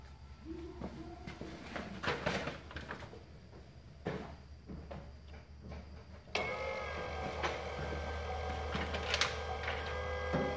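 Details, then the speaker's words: FASS Titanium 95 GPH lift pump with Beans sump on LMM Duramax, ignition on with about 2 gallons fuel: a few clicks, then steady even electric hum as pump primes fuel system; normal lift pump priming. "So what I'm going to do now is I'm going to turn my ignition on. You'll hear the pump kick in, start running, and it'll start filling everything up with fuel."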